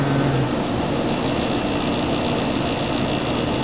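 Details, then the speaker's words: 1970s GE Slumberline 5,500 BTU window AC (115 V, 5.5 A, R-22) with a clogged spiny-fin coil, running: smooth constant hum and airflow rush with no rattles. It blows nice and cold and runs normally; compressor quietness uncertain. "This thing blows nice and cold. I'm kind of impressed with it. I don't know how quiet the compressor is."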